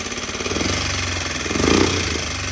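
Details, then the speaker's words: Honda FourTrax 300 ATV single-cylinder, just started on choke, idle turned down: rapid even tapping over thumping exhaust; top-end valve clatter, owner suspects intake valve, felt up top. Not confirmed. "Now that it's down, it kind of sounds like it could be the intake valve."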